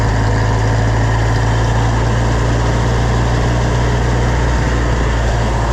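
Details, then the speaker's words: Oliver 1250 (Fiat 415) diesel tractor on first test run after reassembly: steady low diesel rumble at fixed idle with no speed correction; good oil pressure but the governor is not responding. "got good oil pressure but I ain't got no good governor"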